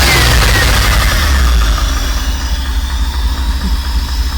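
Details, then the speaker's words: Rolls-Royce Silver Spirit 6.75-litre V8, parked since 2022, after new coil and parts: deep, fairly even idle with steady low pulse and no misfire stumble, now running on more cylinders; carburettor tuning still needed. "But yeah, she's sounding a hell of a lot better now. So when you give her a bit of the old throat, she sounds better."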